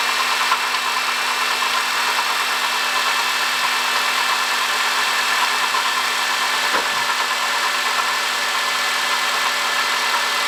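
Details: 2005 Honda Odyssey, 268,167 km: steady high hissing whine over a smooth idle; worn water pump bearing, cured by replacing water pump, thermostat, thermo switch and coolant.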